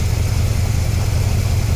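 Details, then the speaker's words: Carbureted V8 idling, warm after restart: uneven loping pulse, number eight cylinder not firing, its exhaust port reading only about 194–210° against about 400° on the others by infrared thermometer. "All the readings are consistent. Number eight is not firing."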